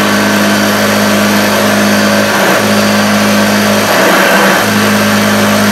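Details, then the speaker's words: 1976 Hoover Junior (U1012/U1016) vacuum after restoration, fitted with a correct motor in place of a wrong plastic-fan motor that sounded really rough. A deep, steady hum with a low grumble that dips briefly while it is pushed around. The motor now runs smooth. "saying new blonde sounds really nice now he's got that that seventies deep grumble which is up"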